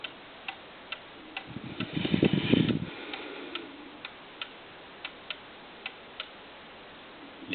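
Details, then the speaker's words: 8-day Herr cuckoo clock with adjustable verge (slip joint), early-1950s design, ticking evenly at about two beats a second in its very small sweet spot (in beat), with a brief thump as it is set down level. "right now the clock is pretty much on what I call a sweet spot or other people call it it's in time"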